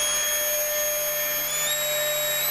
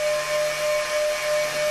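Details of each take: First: Upgraded Mk3.0 ZVS driver running a high-current transformer: steady firm high-pitched whine over fan hiss with no wavering or chirping; oscillating normally. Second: Upgraded Mk3.0 ZVS driver powering a high-current transformer (9:3 turns ratio, 14-gauge windings, fan) on a 10 A limited bench supply at low voltage: steady whine around 600 Hz with fainter higher tone over hiss; cause unconfirmed.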